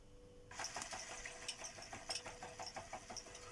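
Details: Robot vacuum under repair, where the fan motor fails and a foreign noise is heard; main brush drive run alone: steady thin high whine with fine rapid ticking over it; the main brush drive squeals.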